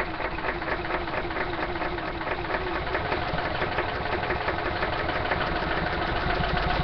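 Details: Small engine running on a tiny amount of hydrogen, choke wide open, after backfires and flashback: rough, irregular knocking about two beats a second over steady exhaust noise, struggling on very little fuel. Rough uneven running with knock, cause unconfirmed.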